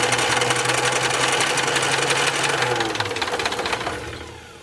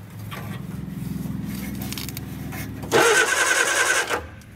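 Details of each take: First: Austin-Healey Sprite barn find, first crank after long storage with carburetor leaking from shrunken gaskets and a suspect fuel pump: uneven firing at a few beats a second that catches, stumbles and dies after about four seconds; rough first start. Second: Barn-find Austin-Healey Sprite engine, first crank via starter cable with oil-pressure line blocked: even, steady churning, turns over freely with no binding; cranks normally, spark not yet checked.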